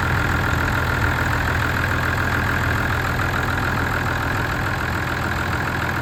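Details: Ford tractor diesel started after clearing a blocked fuel supply at the tank tap (pulled in a lot of air): steady, even low chug at idle with no knocks, misses or rattles; healthy idle.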